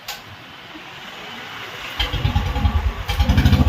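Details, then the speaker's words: Royal Enfield Standard 350 that cut out while riding, battery down to 10 V from kicking; after fixing a fuse fault it starts on one kick into a steady thumping single-cylinder idle, about three beats per second; normal start. "ഒറ്റ കിക്കിൽ തന്നെ വണ്ടി start ആയിട്ടുണ്ട്"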